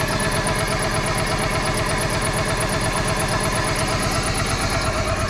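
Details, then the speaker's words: 1995 Plymouth Neon, low mileage, sat in a garage with old gas, just started after Berryman's treatment: rough uneven idle with a light repeating chirp about twice a second; no oil light, owner hopes it evens out. "She might even out here, chirping around a little bit. No oil light. She's running, y'all."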